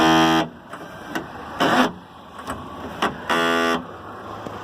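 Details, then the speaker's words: Mercedes Axor truck power window won't go up, slipping while raising: short buzzing motor bursts with rough grinding rasp between them, from stripped regulator gears. "O vidro dele não tá subindo, tá patinando na hora de subir."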